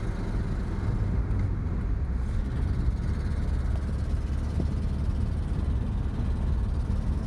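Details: 1986 Mazda B2000 SE-5 being driven with a loud, deep, rough rumble filling the cab, the drone of a horrendous exhaust leak.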